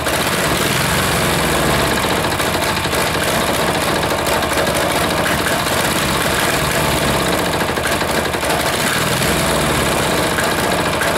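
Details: Air-cooled diesel just reassembled, idle adjustment off: loud clatter, uneven firing surging and sagging at idle, smoke; rough running, owner suspects air in fuel line or leaking fitting sucking air.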